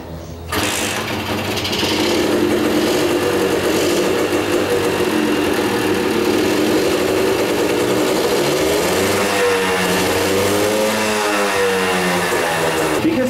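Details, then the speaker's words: 34-year-old Kawasaki KS II-50 two-stroke, owner reported it bogging on acceleration and carburetor spilling fuel; after carburetor service it starts and holds a steady crisp buzz with gentle blips, running cleanly and pulling well. "como pueden apreciar bandas a pesar de sus 34 años que tiene esta moto de visita se oye mejor que una nueva la neta que está jalando muy bien"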